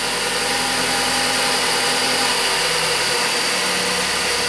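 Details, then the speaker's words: 2013 Ford Focus, no acceleration with codes P2122/P2127 and P060D, after repair: steady, even idle with smooth hiss and no misfire or stumbles; codes cleared, running cleanly. "more misfire it sounds good yeah"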